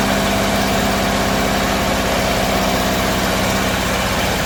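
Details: Bedford CA campervan (Rambo) being revived on a freezing −2° morning: stumbling idle with a ragged beat of about four pulses a second that never settles; owner suspects too much fuel from somewhere, cause unconfirmed.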